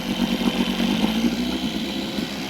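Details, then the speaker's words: Evinrude two-stroke outboard on a jon boat, running smoky: rough, uneven putter at low speed that never settles; won't hold idle, lacks fine idle adjustment though power and fuel pump are fine; cause uncertain. "but she's running fine now she's got plenty of power she just doesn't have any idle um not certain what that is"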